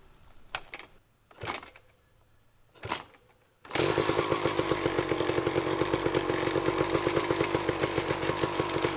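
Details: 1999 Kawasaki KX250 two-stroke on its first start after a full garage engine rebuild, premix set a little rich at 32:1 for break-in: a few clunks, then a steady, buzzy, even idle; the engine sounds good and runs healthy.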